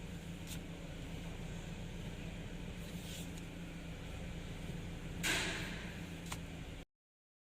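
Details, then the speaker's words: SUV about 3.5 years old with about 26,000 km, after repair: steady low idle hum while turning the wheel, with no creak or clunk; the noise came from a collapsed front-right strut top mount bearing and rubber, both replaced. "你看我现在一打方向的时候就有这个声音，现在已经换好了，打方向的时候已经不响了。"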